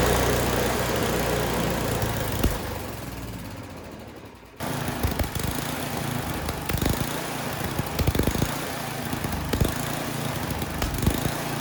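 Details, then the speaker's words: Snow blower small engine after carburetor cleaning: revs sag and jump back up, rough and uneven surging; still not running right, carburetor to be replaced. Cause suspected, not confirmed. "All right, I don't like it. Even after cleaning it, you can hear it surging there. It is not running right."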